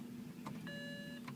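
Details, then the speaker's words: 2007 BMW E92 328i coupe, non-turbo, 6-speed manual: foot on clutch, key turned, all dash lights come on and a chime repeats but there is no crank or click. Battery tested good; owner suspects the starter, which these cars are notorious for. "it's not going got my foot down on the clutch you can see it and all those lights turn on try it again nothing"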